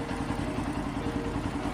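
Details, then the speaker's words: Bajaj Pulsar NS125 at 9,300 km, with its third service done: light, fast, steady ticking over the small single's idle, the typical clatter of noisy tappets. "और 9300 kilometre में इसकी third service complete हो चुकी है और अभी से ही इसमें इंजन की टैपट की आवाज़ आने लगी है।"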